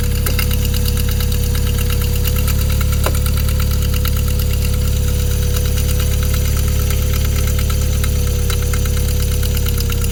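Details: Toyota MR2 3S-GTE engine at idle with a sharp, regular clicking of about four ticks a second over it; cause unknown.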